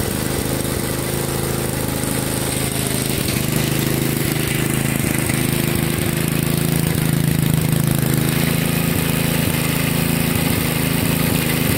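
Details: 1963 MTD Lawn Flite lawn tractor after replacing ignition components: old single-cylinder engine chugging at a steady, fairly even beat without stalling; clutch not working, takes off in gear. Normal running.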